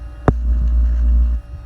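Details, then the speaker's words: 12 V Danfoss/Secop BD fridge compressor in a camper, drawing 7.4 A before a speed-control resistor switch is fitted; steady deep hum holds about a second then drops away, compressor running at high speed. "at the moment that fridge is drawing 7.4 amps now that that's pretty thirsty and also you can hear that compressor running"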